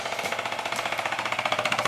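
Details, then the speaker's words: Bissell Symphony 1132 steam mop after steam pump replacement (part 1603370), on high with trigger pulled: rapid, even ticking thump about twelve pulses a second, normal operation. "that thumping noise I guess that's plenty that's normal"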